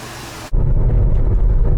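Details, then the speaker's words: GM 3800 Series II engine after overhaul and replacing the dead cylinder 6 injector, about eight or nine days after first start, driven since without problems: catches and settles into a steady, even low rumble with no misfire; runs great. "works we fixed it it runs great now so this is the eighth ninth day i think since we first started it up"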